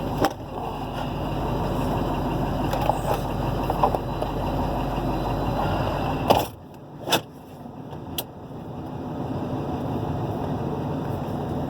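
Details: 6.0 diesel truck pulling away: faint, steady high-pitched whine over road and wind rush; owner doesn't know the cause.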